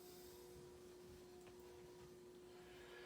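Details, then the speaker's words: Antica Model A 52-inch ceiling fan, cast iron motor, 120 V 60 Hz, likely made around 1983, reversible: on slowest variable speed in downdraft, a faint steady mid-pitched buzz over a quiet fan; resonant hum from the variable speed control. Speed control hum. "And of course you can hear the fans doing its resonant buzz there from the variable speed control system."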